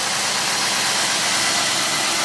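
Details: 2004 Cadillac DeVille Northstar V8 just after a jump start: steady, even idle under a heavy airy hiss with no knocks or misses; runs normally.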